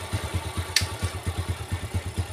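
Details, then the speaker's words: Yamaha 4-stroke motorcycle, smooth in neutral: rough, uneven clattering pulses of about eight a second over the idle once in gear, from the right side of the engine. "Sekali lagi saya coba nih ya krusuk-rusuk kresek kresek kresek kayak gitu suaranya ya netralin halus lagi"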